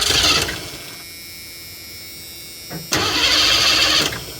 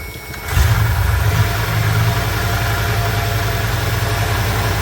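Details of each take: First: 1984 Ford E150 Econoline camper van fed from a boat fuel tank: two cranking spells spin steadily but never fire or pick up speed; cranks but won't start, needs a couple of pumps to prime fuel. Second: 1984 Ford E150 Econoline camper van running off a boat fuel tank, given a couple of pedal pumps: a brief crank, then it catches and settles into a steady, even idle with one small throttle blip, starting and running fine.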